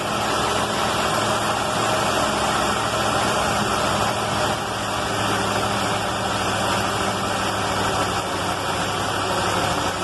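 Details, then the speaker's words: Carbureted car on fresh Valvoline racing oil, running again after an electrical fire and warming up at high idle; steady, even fast idle with a low drone and no misses or knocks, and it is running its best in a long time. "should be around there on high idle this is the best she's run a long long time"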